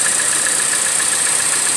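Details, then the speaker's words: 2014 Chevrolet Cruze LTZ with misfires, idling: constant sharp hiss and thin whistle from the top of the engine as air is drawn past a leaking PCV valve; valve cover replaced as the fix. PCV vacuum leak whistle. "de vehículo trae como un silbido en la parte de arriba del motor"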